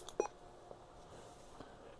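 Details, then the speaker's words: Vertex Standard VX-3000 VHF radio after replacing its weak tiny speaker with a 30x50 mm AliExpress part: one short faint beep over quiet room hiss, volume turned down; now much louder and sounding normal. "oh yeah it's much much louder now there we go that sounds normal"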